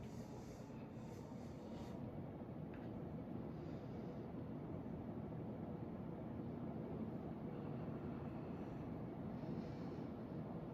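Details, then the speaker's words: Hunter R&M Original 52-inch ceiling fan, circa 1976-77, on high at about 185 RPM: steady even whoosh of moving air with a low rumble, no knocks or ticks; runs normally. "here on high. We're doing around 185 RPM."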